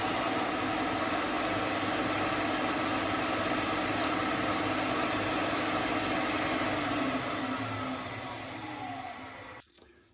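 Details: Hope Woodturning MK2 thread-cutting jig on a router at about 3000 rpm, male thread in beech, final pass: steady high whine with an even hiss dying away as the motor stops; smooth, clean normal cut.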